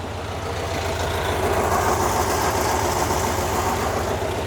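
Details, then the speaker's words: 1974 VW Bus at idle after heater cable install and engine tune, heater lever pulled on: even engine idle with a steady, smooth squirrel-cage fan whir over it; heater booster fan running normally. "Pull this lever down. The boost fan's working. I heard I hear a kid on double checking. I hear I hear I heard that squirrel cage."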